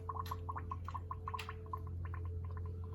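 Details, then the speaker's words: 1973 Firebird with LQ9 swap and 6-speed manual, filling cooling system with deionized water before first start: irregular bubbling gurgles, two or three a second, over a steady low hum as air remains trapped. "So we're quite close to the top, but there's still air in it. You can probably hear it."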